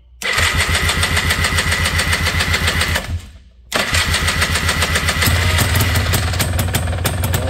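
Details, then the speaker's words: 1989 Honda Pilot FL400R two-stroke after engine rebuild, coolant filled, on choke: crisp rattle catches, cuts briefly, restarts and holds a steady clean beat, no longer the rough bearing noise heard before rebuild. "that's a good start that sounds a lot better"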